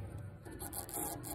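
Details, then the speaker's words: Lycoming IO-360 B4A on Piper Archer 181 with stumbly run and uneven lean/rich plugs: short rough metal-on-metal rasp as fuel cap twists, lock tabs scraping and cutting, suspected source of metal contamination in the fuel injection system. "Hear that scrape? It's cutting. Proper fuel cap operation is pushed down."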